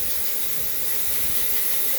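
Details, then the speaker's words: Mopar headers, before repair: steady airy hiss at header joint, air escaping along the gasket and blowing strongly up top, nothing felt underneath; soapy water test planned. Exhaust leak at header gasket. "i've got a bit of air coming out along here which gets worse here but i've got nothing excuse me doesn't feel like i've got anything underneath and this one is blowing quite good up here"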